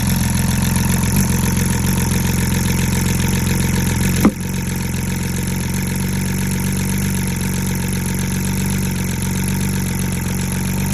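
A V6 idles with a low, uneven beat, the slight stumble of a misfire.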